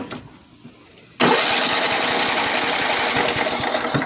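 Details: Kohler Command 12.5 OHV mower engine that stalled when warm, fixed by replacing the ignition coil; with coil wires and screws reinstalled it catches at once and settles into a steady, even run without misfire; normal start.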